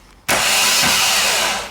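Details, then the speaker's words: Audi R8 V10 with a blown engine: starter spins up instantly to a steady high whir, then winds down cleanly; the noise was present with the starter removed, so the starter itself works fine. "I mean it was making that noise when we just got the starter out of it and you've seen the starter working just fine"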